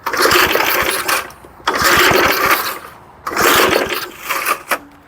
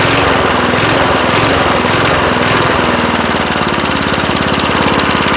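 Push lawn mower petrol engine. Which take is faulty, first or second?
first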